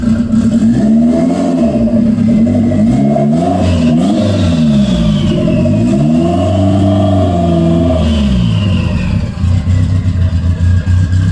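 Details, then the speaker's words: 1992 Toyota MR2 after vacuum leak and throttle cable fix: engine settles to steady idle and picks up cleanly on each throttle blip, rising and falling smoothly, responsive throttle; normal idle and revs. "it works um I really I really can't say anything bad it feels good uh the throttle is pretty responsive as I as I give it a go so guys I think we we fixed it"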